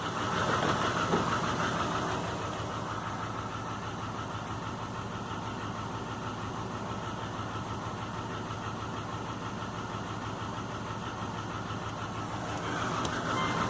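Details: 2005 Subaru Legacy GT rebuilt (refurbished block, new crank and bearings, used rods/pistons and heads) after spun rod bearings; warm idle oil pressure 22psi, new plugs, no exhaust leaks, used VF40 turbo: quiet idle with steady light tapping about three per second, cause unknown.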